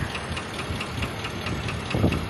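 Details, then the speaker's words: GMC XUV at about 12k miles after a Copart rebuild: light, regular tick about five times a second over a steady idle, seeming to come from one side; owner suspects a bad lifter, later finds the oil level low. "I have a bad lifter it sounds like hold on one second it definitely sounds like it's coming from that side"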